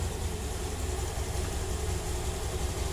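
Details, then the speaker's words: Honda Beat scooter CVT after disassembly and reassembly; it had previously made a scratchy "srak srak" noise. A low, smooth, even idle rumble with no rattling or scraping from the belt drive; normal idle. "Nah, halus ya bunyinya udah halus. Enggak kayak tadi srak srak srak gitu ya. Ini udah halus, udah enak."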